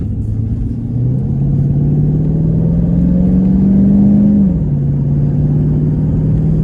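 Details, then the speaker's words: 2016 Chevrolet Caprice after repair of rough running and misfire codes (P0208, P0300), on test drive low on fuel: smooth, even engine note rising with throttle then settling, no misfire stumble or knock; sounds really good, fault codes gone. "Yeah, I'd say she sounds really good now."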